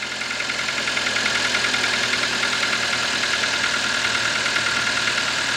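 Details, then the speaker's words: 2006 Toyota Corolla 1.8 petrol four-cylinder, previously cranking but not starting. After replacing blown 20A and 15A fuses it idles evenly with a steady hum and bright hiss. It later ran about half an hour without trouble; the wiring still needs fixing. "i'm gonna let it run for a little while to make sure everything is good and then we'll be right back"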